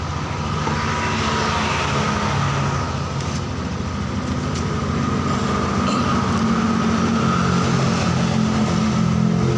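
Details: Yamaha NMAX 155, brought in for stalling and not starting, running during a charging-system check (reads 14.3–14.6 V, normal): steady, even engine hum with a faint constant whine, smooth with no knocks or misses.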